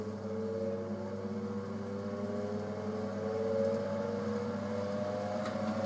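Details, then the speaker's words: Frigidaire FSD28 2800 rpm spin dryer with a direct-drive induction motor; lid pushed down and switch slid over, motor starts with a quiet low hum climbing smoothly as the drum spins up, slight vibration possible, no knocks or rubbing; healthy. "Hear the motor come on. You sometimes will get a bit of vibration."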